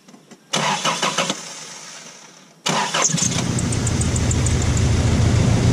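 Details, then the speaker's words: Engine after a coil pack replacement, run and warmed up: it runs better but the idle has an uneven, stumbling beat of three or four pulses a second. Misfire remains; owner suspects spark plug wires damaged by a battery surge. "it did run quite a bit better i have let it warm up some i think that's a possibility that wire by spark plug wires replacing the coil pack has made it and helped it quite a bit but it's still got that bad mist"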